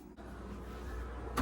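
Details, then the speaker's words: LG refrigerator (LFX31925 series) not blowing cold air, plugged back in and run in service mode after capacitor checks. A steady, low, even hum with no rubbing or ticking: the fans are running normally, so they are not the cause. "Fan's on I could hear it how about the freezer kind of hard to see we may need to take this off hang tight yeah I hear it the fans are working so that's not your issue"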